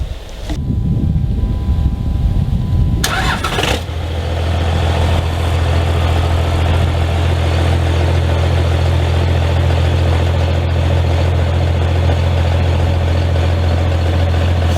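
Short crank, firm catch, then a deep even diesel clatter at a steady idle with no misfire or stumbling.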